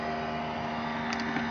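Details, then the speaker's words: Cessna 172 on a cold day, master switch on before start: steady whirring hum with a couple of fixed tones from avionics fan and spinning gyros, even and smooth; avionics running normally. "Brakes locked. Turn the master switch on. Hear the avionics fan and the gyros."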